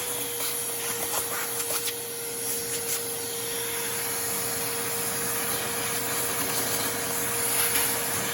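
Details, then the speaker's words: Porter Cable 4 gallon shop vac found in the trash, after repair and cleaning, switched on with no suction load: steady, even motor roar with constant mid-pitched whine, no rattles or grinding; healthy motor. "I'm just gonna turn it on let you guys hear it that's pretty damn good"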